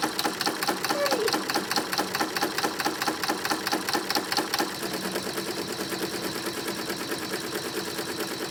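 Fast, even needle chatter at a steady rhythm with a light shift midway, no knocks or grinding; embroidery head stitching normally.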